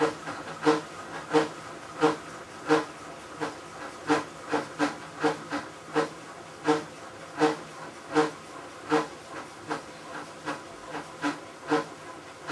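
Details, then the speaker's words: Maytag Centennial commercial washer, about a year old and overloaded for demo, agitating rinse water: loud hissing chug about every three-quarters of a second, like a cement mixer churning gravel, estimated 100–110 dB; source not pinned down. Loud agitation noise. "I think I lost at least 10% of my hearing over that I'd say the level is 100 decibels maybe 110 when all that noise is going on is deafening"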